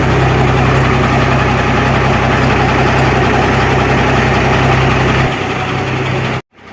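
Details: Cummins diesel truck engine idling after reassembly to cure a ticking noise (suspected valve, gasket or piston fault): steady, even low throb with no distinct ticking, normal idle.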